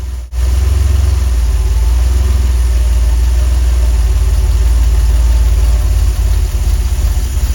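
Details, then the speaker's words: DeLorean DMC-12 with Bosch K-Jetronic injection, pre-warmed to the first line on the temperature gauge: low, uneven idle that sags nearly to a stall, then recovers, repeating in a cycle and slowly improving with warmth. Starting and hunting have grown progressively worse this season. "This oscillation of almost stalling will continue to repeat in a cycle, slowly improving as the engine comes to temperature."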